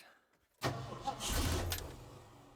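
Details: 1969 Ford Bronco with a new starter solenoid fitted after the old one smoked. A solid click, then about a second of strong, even cranking that winds down without firing. The starter now works; fuel supply was suspected, tank possibly empty.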